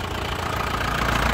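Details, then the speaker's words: 2001 LS (Panther) diesel, manual, already warmed up and restarted: an even, crisp diesel clatter at steady idle with no stumbles or shaking. The engine is stable, indicating healthy nozzles and injection pump. "dari suara suaranya renyah ya khas pentter seperti ini Itu tandanya dari segi suara dia bagus terus dari segi mesinnya ini tidak pincang tidak goyang jadi stabil ya mesinnya stabil"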